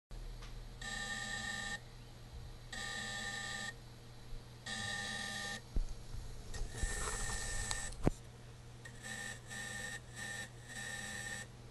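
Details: DJI Phantom 2 Vision+ gimbal: thin electronic buzz in roughly one-second bursts, stops once camera is tilted fully down; cause unknown, owner asking for help.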